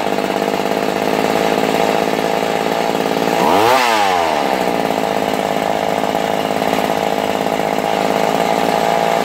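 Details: Vintage McCulloch Mac 110 chainsaw, found in water at a dump and restored, running without bar or chain after an idle adjustment: a loud, steady high-rev two-stroke buzz that dips, recovers and runs clean; normal running.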